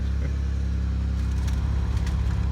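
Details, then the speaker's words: 2002 Pontiac Grand Prix after ignition switch replacement, first drive in five years, car now settled down: smooth low rumble at steady idle with a few faint background clicks; engine running normally. "now the car is settled down so fantastic"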